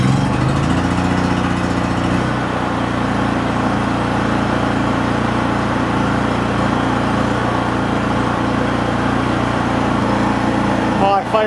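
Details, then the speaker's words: Fish house camper generator, not started in months since midwinter, when it was hard to start until the oil alert was unhooked: it holds a constant even drone with no surging, missing or rattles, running properly. "Just wanted to make sure that it started right now though. I haven't started this one since middle of winter."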